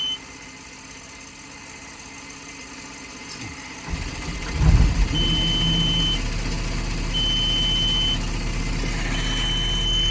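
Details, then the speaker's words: Caterpillar 289D3 skid steer, low-voltage code: diesel idling under a high beep about a second on, a second off; alarm because the alternator isn't charging, battery voltage reads fine, machine shuts down after a while. "he computer system and if it detects the alternator not charging, then it still gives an alarm. So, sort of like a light on a dash on an older vehicle."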